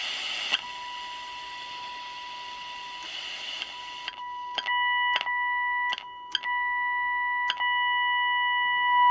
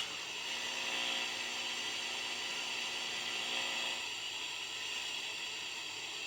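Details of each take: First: Unitra Eltra Alicja R-701 FM receiver tested with a signal generator across 65.9–73 MHz: clean steady whistle near 1 kHz in bursts between tuning clicks; receiver picks up the test tone, alignment within its parameters. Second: Unitra Eltra Alicja R-701 radio with FM programmer and fixed long-wave station, long wave already found dead: on FM with a wire antenna attached, only steady even hiss, no station or voice; no FM reception.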